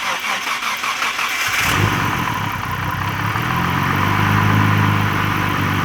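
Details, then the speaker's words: Nissan R32 Skyline GT-R first start after installing Greddy complete suction kit intake piping: cranks briefly, catches cleanly, steady idle with a light blip, smooth and even; sounds healthy. "So I guess the last thing we need to do is start it up and see if the damn thing runs."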